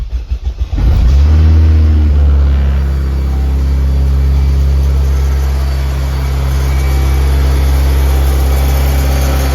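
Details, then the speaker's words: Honda K20Z1 Type S engine swapped into a Mitsubishi Eclipse, first-ever start with new ECU wiring and fuel line, coolant not yet added, two check engine lights: brief cranking, catches first try and settles to a steady, slightly high idle. "So tied a little high because got to put water in it and stuff."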